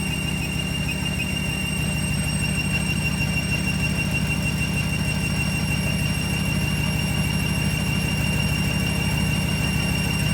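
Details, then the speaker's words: Ram 1500 with swapped 6.2L supercharged Hellcat V8 on original transmission: thin high squeal over lumpy idle, worse after a transmission tune; transmission pump squeal suspected; refill and fill procedure didn't help. "we're getting some pump squeal but when we put in a transmission tune it actually made it scream even more which is the video clip that you just heard right there"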